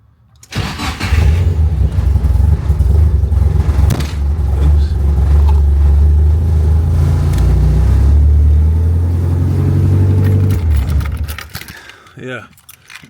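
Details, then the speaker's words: Nissan 240SX S13 with SR20DET, starter not yet replaced, after chasing a wiring fault under the dash: starter churns briefly, engine catches into a strong, even idle, then shuts off; normal crank and start, flickering lights still present. "But I at least figured something out. The car actually starts now"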